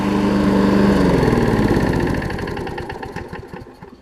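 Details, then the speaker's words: Briggs & Stratton Quantum push mower after carb cleaning, warm after about 10 minutes running; running great, slight tinge of smoke. Single-cylinder firing evenly with no misses, then winding down smoothly at shutdown. Normal running. "Alright, so I've had this one running for a good 10 minutes or so now. Running great."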